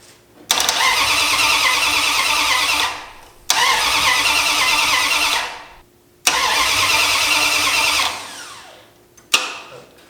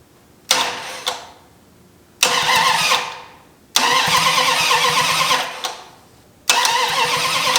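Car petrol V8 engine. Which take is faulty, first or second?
second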